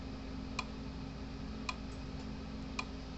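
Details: PEL 350 electric fence charger after repair (new capacitors), running on the bench: sharp single ticks about once a second, evenly spaced over a quiet hum; fault-finder reads about 6.8–7 kV, pulsing normally.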